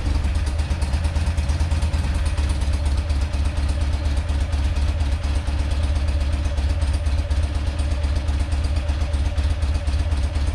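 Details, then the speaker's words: Rare twin-cylinder motorcycle, first run, carb fuel flow restored, on full choke: steady deep even idle with light valve clatter, no misses; runs healthy, though needs much work before a test ride. "really good like that nice that's all i wanted all i wanted to do is hear it run hear it you know rev up a little bit"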